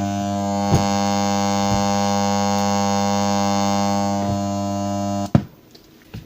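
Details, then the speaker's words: Aptus self-powered speaker switched on with no input signal: loud steady hum of about 50 Hz, typically caused by the power supply, a rectifier diode or failed filter capacitor feeding bad power to the amplifier. "veis que tiene un ruido de fondo de unos 50 hertzios este tipo de fallos suele ser por un fallo de la fuente de alimentación algún diodo o el condensador de filtro se ha estropeado y produce un defecto de alimentación al amplificador de sonido y ese ruido se oye en el altavoz"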